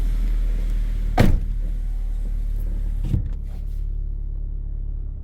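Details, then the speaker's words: 2009 LPG car, 163,000 km, just started at idle: heavy droning rumble with coarse shake and thuds, steering wheel and seats shaking badly; worn engine mounts. "지금 이게 떨려서 나는 소리거든요. 떨려서. 자, 으르르 합니다. 지금 전체적으로 핸들도 다라락 떨고, 아주 의자까지 시트까지 완전히 달달달달 떨고 난리가 아닙니다."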